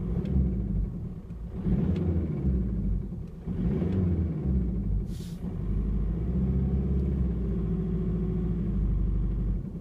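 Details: 1.9 TDI BSU diesel with single-mass flywheel, new clutch and new camshaft: rumbling with occasional dull irregular knocks about every couple of seconds, louder on overrun and coasting in 1st–2nd gear; origin unclear.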